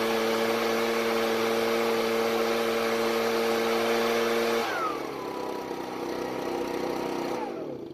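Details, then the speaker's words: Ryobi backpack blower on fresh store-bought premix, warmed up: it starts easily, but a steady high buzz wavers, runs irregularly and sags, never reaching full speed. "So it's easy to start, and letting it warm up a bit, it seems to run okay, but it's a bit irregular at times. As it gets warmer though, it seems to run a bit smoother, but it's definitely not getting to full speed either."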